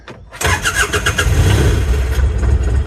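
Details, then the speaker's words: Mini excavator diesel, battery showing fully charged, controller reporting connected correctly: cranks over very fast and brisk, catches almost immediately and settles into a steady diesel idle; strong starter, normal healthy start. "That not only worked, but did you hear how fast it spun it over?"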